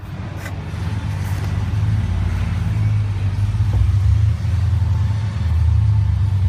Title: Gm 6.0 misfire. Stuck lifter. P0300